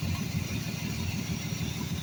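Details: 1982 Ford F150 with the 300 engine and automatic transmission. Rough, uneven idle with a steady hiss over the engine note from a large vacuum leak around the Quadrajet carburetor.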